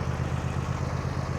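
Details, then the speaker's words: 2023 John Deere S140 lawn tractor, Briggs & Stratton 44N677 engine: started on choke, then throttle brought down to idle. Steady, even low putter with a regular pulse and no knocks or misses; normal idle. "You're gonna take it up, choke, start it up, bring it down, idle. Now it's running."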